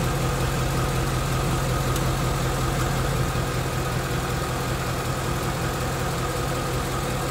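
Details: 2016 Mustang GT 2nd-gen Coyote V8, 20,335 miles, idling two miles after fresh oil change, A/C on: faint quick typewriter ticking under loud steady idle, heard underneath car; owner suspects new oil, not confirmed.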